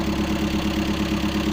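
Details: Volkswagen T4 1.9 diesel, 30 years old, just restarted after driving about 100 km with a blown-out oil seal: hard, even clatter at idle over a low drone; owner unsure whether it is connecting-rod knock.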